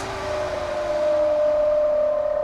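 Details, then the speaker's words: USB fan wired to the sub-battery of a kei camper, resting on a table: steady whir with a thin high-frequency whine riding on the airflow hiss. The whine is table vibration and stopped when the fan was lifted. "آیا این صدای فرکانس بالا هرگز متوقف می شود؟ وقتی بلندش کردم صدا رفت. صدای لرزش میز بود."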